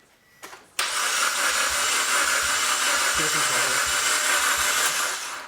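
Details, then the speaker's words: Cheap used eBay engine in a 4X4 build, first start after install: fast even starter whirr for about five seconds with no firing or compression pulses; no compression suspected, coil connection also questioned, not confirmed. "go again it just sounds like sugar for me sounds like an engine turning over that's not actually making any compression"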